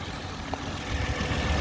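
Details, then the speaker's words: 2010 Toyota Camry XLE after water pump replacement with original pulley kept, coolant about two lines above cold level: smooth steady low idle with even rumble, no knocks, ticks or squeals; only valve noise heard, failing-pump noise gone. "try to bring in there night and day all you hear is the valve where my right hand is i don't hear nothing definitely the original pulley nice right"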